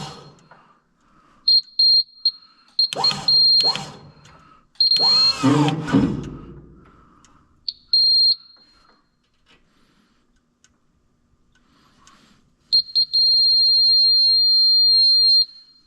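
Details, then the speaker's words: Generator with low battery voltage: sharp high beeps in short bursts, then one long unbroken tone; low-voltage alarm expected to stop once voltage is proper. "I think it just it's a low voltage right now and this alarm is supposed to go away when the voltage is proper."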